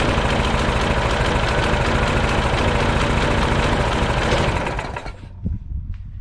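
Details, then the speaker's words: Old Troy Bilt mulching mower with a Briggs & Stratton Quantum 4 HP engine, brought in for leaking gas and not running. It starts on a partial pull and runs strong and even, with quick steady firing and no stumble or surging, then cuts off. Healthy running. "i didn't even give it a full pull and it started right up so this baby's this engine starts right up there's no problem with it"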